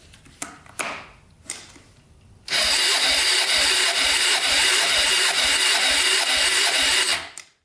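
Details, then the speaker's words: 1995 Honda 300EX quad, non-runner, second compression test with throttle open, now reading about 50 and still too low; battery cranking possibly weak: after a few knocks, about five seconds of rough, buzzy cranking without firing; low compression. "up to 50 so that was part of the problem [Laughter] all right so we've got some compression now but uh still not enough"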